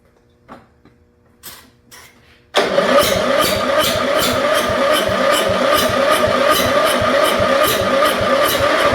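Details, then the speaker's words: 1974 Dynastar lawn tractor barn find, sat about 30 years: a couple of quiet clicks, then the single-cylinder fires and settles into steady even chugging; starts and runs. "sound ah how about that I think she's going to run well how about that she don't sound too bad there does she"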